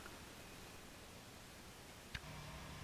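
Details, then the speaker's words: Fender Deluxe Reverb Reissue tube amp just after power-on, customer reports loud hum after half an hour: only quiet normal hiss and faint hum from the speaker; rectifier tube suspected as a possible cause. "okay the amp is on and working and uh i can hear it hissing and humming from the speaker just normal kind of stuff"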